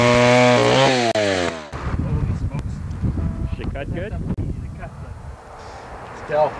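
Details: 1959 Stihl Contra chainsaw, 106cc 6 hp, Tillotson HL112C carburetor, in mint condition: engine catches and revs cleanly with a rising and falling buzz, then settles; starts and runs normally.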